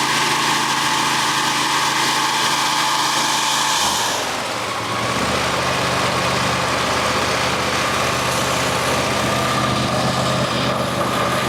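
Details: Engine after replacing a broken-off spark plug and both head gaskets, checked for earlier ticking (suspected old plug fragments in muffler): runs at an even, steady pace with no ticking over the exhaust drone; sounds healthy.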